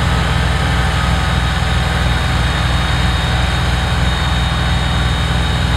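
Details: Kubota BX diesel tractor after fixing cold-weather fuel starvation (suspected gelled fuel): steady, even diesel clatter with deep low rumble, no stumbles or misses under load; running healthy.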